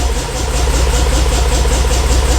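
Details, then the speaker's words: 50-year-old petrol engine in a 1975 Bedford truck: it has a steady, even low idle with a soft regular beat and no misses: normal idle. "it sounds so smooth it it is it's really nice"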